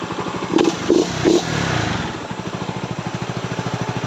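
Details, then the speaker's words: Honda RS150 after head noise repair, clutch lining done, reassembled: after handling clunks, single settles into even steady beat with no tapping from the head; normal idle, head now quiet. "Yan, umaandar na siya mga kaibigan. Tahimik na yung kanyang head."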